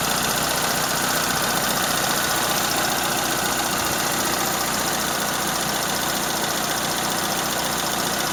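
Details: Toyota Corolla Ceros, 4A-FE engine, C50 manual gearbox, idling: light, quick ticking rattle; owner unsure if valve tick or gearbox shafts rattling; slight exhaust corrugated-pipe leak also present.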